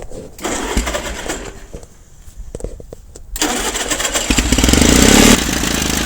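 Pony motor spins and the diesel catches a few uneven chuffs, then drops out and flares again; the starter drive is letting go too early.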